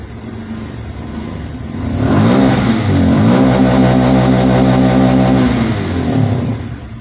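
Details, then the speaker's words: Bajaj Pulsar 150 BS6 fuel-injected bike, after the MAP sensor was made to work again (now reading about 14-15 inHg): engine revs up cleanly, holds and drops back to a steady, stable idle without stalling. "இப்போ நமக்கு map sensor வேலை செய்யுது. Idling கரெக்டாக ஒரே ஸ்டேபிளாக இருக்குது."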